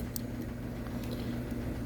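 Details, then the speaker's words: Prewar Lionel 226E O gauge locomotive with a pancake motor, after one drop of oil on the dry phenolic armature bushing: a smooth, even low hum with no buzz or rattle. The vibration noise is cured. "And now, voila. No more noise. Okay. That's because it's a piece of phenolic and it gets dry. The phenolic actually absorbs the oil."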